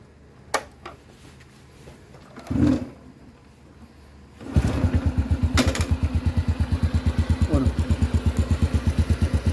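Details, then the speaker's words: Motorcycle idling after the worn, stretched timing chain was tensioned and valves reset; engine catches and settles into even steady idle thump, no top-end rattle, quiet like new with only exhaust note — normal idle. "เสียงเหมือนรถใหม่เลยครับเงียบกริบดังเฉพาะท่อไอเสียเท่านั้น"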